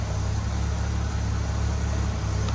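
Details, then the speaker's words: 1969 Chevy C10 inline-six after fixing a broken bracket that wasn't holding down the intake, which had caused an intake leak. Low, even idle with a smooth beat and no misses; normal idle, running better. "I'm just gonna let it run for a few minutes, but definitely that bracket was our issue over there, not holding down the intake for the that leak that we had. It's definitely running better now."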